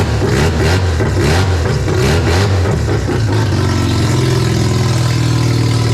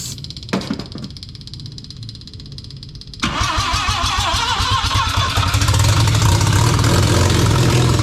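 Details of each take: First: Mazda RX-7 barn-find 12A rotary after sitting for years, carb flooding from suspected faulty needle and seat, some leaks: loud revving then a steady buzzing idle, running on its own without stumbling until it apparently runs out of fuel. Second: Barn-find Mazda RX7 12A rotary with carb, powered carb solenoids: slow cranking then ragged catch and rev on starting fluid, cutting out when spray stops despite fuel in float chamber; fuel not drawn through carburettor.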